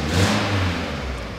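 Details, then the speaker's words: Peugeot 206 GT numbered limited edition, 136 hp, after motorway drive: short rev dying away with a coarse, raspy, uneven twin-like note; big exhaust leak suspected from cracked welds where the four manifold pipes join into one. "le bruit de bicylindre dégueulasse là ça ça donc voilà il y a une méga la fuite à l'échappement et ça on va le faire parce que c'est c'est insupportable"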